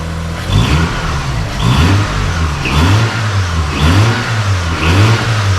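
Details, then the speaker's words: Mazda RX-8 rotary after long storage, full of oil, finally started with no accelerator: repeated clean blips about once a second, no knocking, heavy smoke; unclear whether burning off residue or engine is worn. "So it starts. It sounds alright to me. Yeah. Eventually started. It's pretty smoky, as you can probably see. But it hasn't run in ages, it's full of oil."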